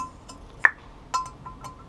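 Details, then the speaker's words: 1975 Honda CB750 head with replaced valve guides, finger covering guide bottom while pulling valve out: one sharp pop then light clinks, showing tight valve-to-guide play; normal valve guide, no pop would mean replacing valve or guide. "that is a good sound if you don't hear that sound then you've got a problem and you have to replace either the valve and the guide or just the guides"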